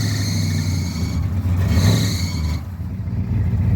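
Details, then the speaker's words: 1976 Ford F350 SuperCab, fresh battery, likely FE V8 (360/330/390 unknown), a little cold-blooded: deep, even, low rumble with a slight swell mid-clip and no knocks or misses; normal idle that runs really good. "This thing runs really good. A little cold-blooded. It smells like bad grass."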